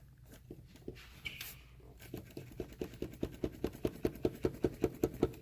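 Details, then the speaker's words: 2015 Chevrolet Malibu with P0171 lean code at idle: steady light ticking about 2.5 per second as the intake manifold visibly moves; owner suspects loose intake bolts causing an intermittent vacuum leak, unconfirmed. "But you can definitely hear that. And the intake moves. And one of the complaints is that the bolts come loose on these things and they intermittently suc"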